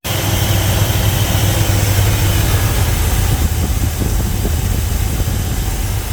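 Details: 1977 GMC Sierra Grande, small-block Chevy 350 V8, after valve and roller rocker adjustment: steady, even idle with a smooth low rumble and no ticking or miss. Idle is normal and the valvetrain sounds quiet; slight dieseling at shutoff is suspected from carbon or carburetor adjustment.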